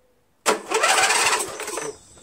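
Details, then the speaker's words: 13hp Briggs flathead on MTD Cub Cadet lawn tractor, fresh SAE 30 oil, no air filter fitted: starter spins about 1.5 seconds without firing; no start, fuel suspected not reaching through dirty carburetor. "Hey so it doesn't start let's take the air filter to cover off and the air filter and shoot some primer in there just to see if we're getting any fuel"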